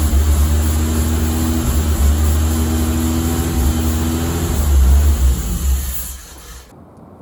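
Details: 1986 BMW 325e sedan, sitting 7 years and a previous no-start, started within 5 minutes after a quick repair; a steady, even low hum for several seconds. Normal idle.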